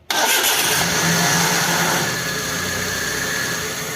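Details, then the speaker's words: Maruti Alto K10 with noise from self starter motor just after starting; after starter service, new carbon brushes and replaced bearing-type pinion gear, quick clean crank catches at once and idles steadily with no grinding; normal starter engagement. "पहले आवाज आ रही थी अब नहीं आ रही है। Problem जो थी वो हमारी गरारी की थी।"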